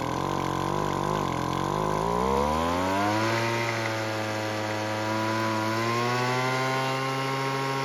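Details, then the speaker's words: Weed Eater two-stroke leaf blower that wouldn't start, after carb tuning with the L screw turned out for more idle fuel. The buzz climbs, then settles into a steady, even drone with no stumbling; normal running, cold-start reliability still unconfirmed. "And luckily with a bit of tuning and mainly adding more fuel with the L screw, it now starts and runs."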